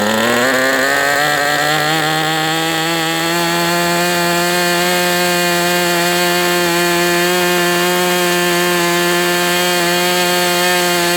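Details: MDS 68 FS Pro engine during break-in at operating temperature, still tight: revs climb briefly then settle into a clean steady high buzz without sag or surging; running well, better than with the idle bar plug.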